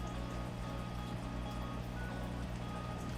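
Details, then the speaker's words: Paludarium sump filter pump running after filter media was added to stop water splashing into the bucket: a steady low hum with a faint, even trickle and only a slight drip, no loud splashing; now very quiet. "see you don't really hear that water hitting the bucket anymore so i did put all the filter media in there already so we are all set and ready to go with that it is super silent right now"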